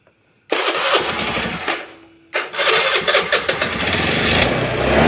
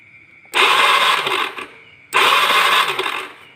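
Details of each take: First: Carbureted Honda Beat scooter that would not run from lost ignition: after the faulty yellow and blue-yellow coil wires were traced and the old spark plug refitted, a brief crank and stumble, then it catches, revs and settles into a steady, even idle. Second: Honda Beat carbureted scooter, kickstarter broken so cranked on electric starter: two short one-second starter whirring bursts, engine never catches. Test light shows yellow stator wire gives no spark; a poorly connected pulser wire is also suspected. No ignition spark.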